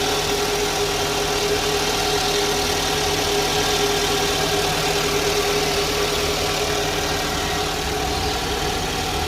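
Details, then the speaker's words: Toyota Alphard Gen 2, 2011, after servicing the balance shaft and alternator pulley: the idle is now smooth and even, much quieter than the harsh roar heard at start-up before. "Jadi suaranya seperti itu ya. Sudah halus, sudah jauh lebih halus daripada yang tadi sebelumnya."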